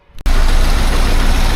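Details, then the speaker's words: 1976 BMW 2002 (E10) M10 petrol with new Weber-style carb and swapped-in coil, listened to underneath: idles with a steady, even low rumble, no knocks or ticks, running quiet; a hot exhaust shield may touch and make noise. "Yeah, so everything seems to be all right here. It's running and quiet underneath."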